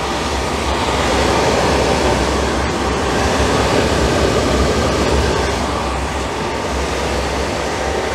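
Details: Suburban RV furnace after replacing the bad fan motor, which had been barely turning: steady rushing roar from blower and burner, even throughout, no scraping or rattling; the burner lights and the furnace runs properly.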